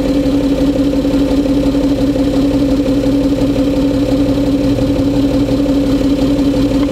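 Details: Citroen C6 with engine running, car lifted on three wheels with flat offside rear removed: steady idle with a firm hum around three hundred cycles as the hydropneumatic suspension reacts and lifts; pump running normally.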